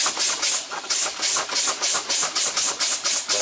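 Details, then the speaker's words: Kenworth T600 truck whose air would not build up: a loud hiss pulsing about four times a second over the running engine as air bleeds off through the air dryer purge valve stuck open. "the guy was complaining that the air wouldn't build up so we're gonna end up putting a purge valve on it sticking"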